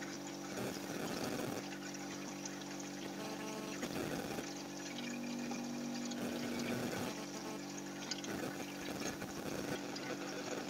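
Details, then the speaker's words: Refrigerator during freon charging after capillary blockage; steady compressor hum with gurgling, trickling surges every couple of seconds at evaporator, normal noise; refrigerant flowing freely through capillary, possibly uneven capillary cut end. "Ini bisa jadi freon bisa jadi potongan ujung kapiler ini tidak rata. Jadi kemudian filter kosong. Tapi ini jelas ini fre lancar ini."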